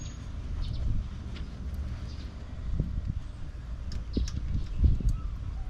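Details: Monte Carlo V8 idling after valve lash adjustment, which fixed a tapping noise; it had previously idled at about 1,300 rpm. Now a deep, even rumble with no ticking, and the valvetrain sounds quiet and healthy.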